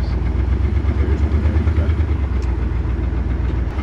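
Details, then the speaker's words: 1979 Chevy Nova LS swap on its first half-mile drive, only the left (driver's) bank working: rough, lumpy loping V8 with uneven low pulse, definitely running on four cylinders and sounding bad. "all right first drive maybe half a mile not in confidence inspiring it's definitely running on four and sounding pretty bad"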